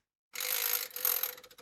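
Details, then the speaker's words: Sony MCH-M333NT Net MD mini hi-fi, CD section: brief whirring, ratcheting mechanism run then light clicks as tray and pickup move; normal CD operation. "Now that's the CD player, that's making the normal noises it should do."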